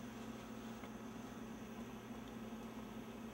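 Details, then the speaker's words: Apple LaserWriter Plus (Canon print engine, 68000 CPU), kept nearly 10 years, idling while waiting for a manual-tray sheet: quiet steady low hum with a faint constant whine whose pitch shifts, no knocks, paper light blinking fast. "I know it's still waiting because I can actually hear it like the pitch of the wine in here is changing and the paper lights blinking a very fast blink so it wants something in the manual feed tray"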